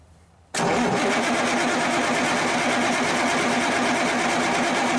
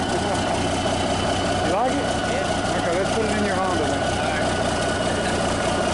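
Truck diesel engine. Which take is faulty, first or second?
first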